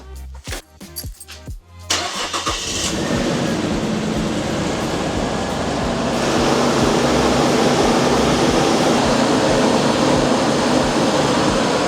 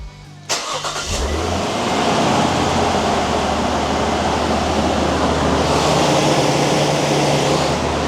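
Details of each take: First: Nissan Stagea with the RB25 NEO engine, restarted after MAF sensor cleaning: it catches and settles into an uneven, lumpy idle with an irregular stumble; not running right, yet not bad either. The owner suspects a faulty sensor. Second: Nissan Stagea RB25 NEO after fixing a misfire by replacing coil packs: starter cranks briefly, engine catches and settles into steady, even idle with no stumble; smooth-running six, no misfire.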